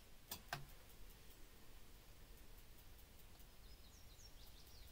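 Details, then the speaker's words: 2007 Dodge Winnebago View RV refrigerator on gas with the propane valve shut off: faint steady igniter clicks, about four a second, with no burner lighting; the display then flashes, meaning check the gas valve. "think it start trying to light the yeah you hear that clicking once it dries it for a few seconds it will start flashing so if it's flashing that means you need to check your gas valve"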